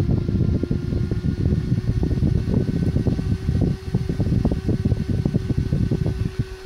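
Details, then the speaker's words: Small cooling fan driven by a simple discrete PWM speed-control circuit, rising toward about 13,000 RPM maximum: steady whirring hum over a fluttering low rumble as it audibly speeds up; healthy, well controlled. "And you can actually hear the fan speeding up as well. So it controls the fan quite well, this circuit."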